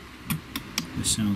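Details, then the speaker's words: Seaward Europa tester powering up after CMOS battery replacement and re-soldering, with soot on the relay contacts: a few crisp relay clicks about a quarter second apart, then short tones; normal startup sequence. "sounds like its normal startup clicking."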